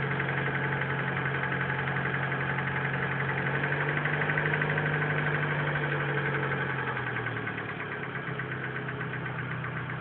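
Steady idle with a light regular tick, about four per second, riding over the engine note; cause can't be pinned down by ear.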